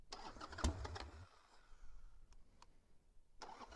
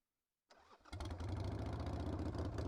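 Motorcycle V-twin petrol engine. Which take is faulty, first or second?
first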